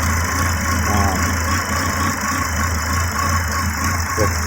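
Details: 2006 Volvo XC70 at idle after an engine rebuild, with a P0016 code. Low idle hum that wavers slightly, not quite settled. Owner suspects a needed adjustment, a power supply problem to the part, or timing or the exhaust cam being off; unconfirmed.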